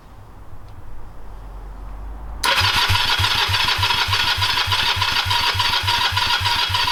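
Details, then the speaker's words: Honda CB250 scrambler, first start after rebuild, straight twin pipes without muffler: starter churns steadily but engine never catches; crank no start, plugs and wiring to be checked. "okay I'll have to start troubleshooting as to why it's not starting so I checked spark plugs I'll make sure that all wiring is connected up"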